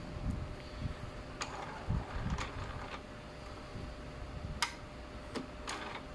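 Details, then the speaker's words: Epson printer powered on after the printhead was removed, cleaned and refitted: quiet hum with scattered light clicks, no grinding, during a normal ink charging cycle; ready once the green light stays steady. "เครื่องไปทำการชาร์จนะหมึกนะครับผมและก็เราก็ต้องรอนะครับให้ไฟเขียวหยุดนิ่งนะครับผม"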